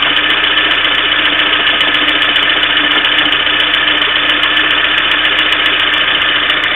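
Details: Sharp, regular ticking about two and a half times a second over a steady idle; knock in the engine, cause not yet pinned down.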